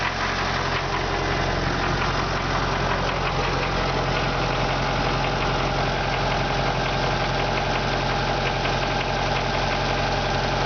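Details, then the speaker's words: MTZ tractor diesel just started at idle: rough, irregular knocking keeping time with engine speed; source unclear. "Запустили двигатель. И слышим стук."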